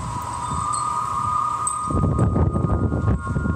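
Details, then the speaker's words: Unfinished Nova Centre construction building in downtown Halifax in strong wind from a certain direction: steady organ-like howl of several close high notes over gusting wind roar, like a ghost or train whistle; wind-induced howling. "er is a noisy place but it's even louder when there's a strong wind [Music] blowing sounds like I imagine what a really loud ghost would sound like like a train whistle maybe sounds like a banshee"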